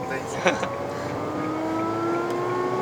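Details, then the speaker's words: Kia Picanto TA 1.25 Kappa 5-speed manual, owner says AC compressor failing but still cooling: low hum rising gently in pitch when pressing throttle, disappears when compressor switched off; AC compressor hum under acceleration. "这个声音是compressor，你一关掉compressor它就没有声音。我踩油的时候会有这个声音。这个嗡嗡嗡这个声音。"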